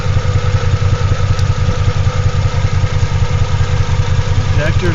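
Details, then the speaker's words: Toyota Tacoma X-Runner restarted after a burnout that ended badly, scan tool showing faults: low, lumpy idle with an uneven pulse two to three times a second, like a cylinder dropping out; rough idle, misfire suspected, cause unconfirmed. "Sounds like a misfire though. We might be okay."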